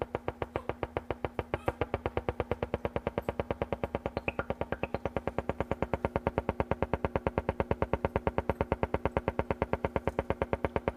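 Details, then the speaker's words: Silvertone 4586 tube radio just recapped and dim-bulb tested, tuning slowly through the AM band: only rapid steady putt-putt pulsing with faint hum, no stations; shortwave is quieter, and one of two 6F6G tubes is barely lit. "what you're hearing me slowly tuning through the am band this is all the noise i get"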